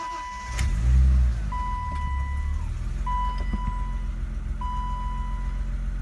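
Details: 1988 BMW 325 sedan, completely cold after sitting overnight, cold start; chime beeps over quick crank and catch, then low steady cold idle with no knocks or misses; normal cold start.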